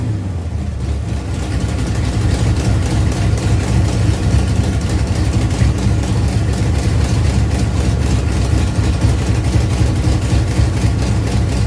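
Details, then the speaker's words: Ford Pinto drag car with a rebuilt Holley carburetor, after backing off an over-tight secondary throttle stop: a steady, even low rumble holding its own idle with no stumble. Normal idle, ready for idle and air-bleed adjustment. "guys so now it's actually running on its own"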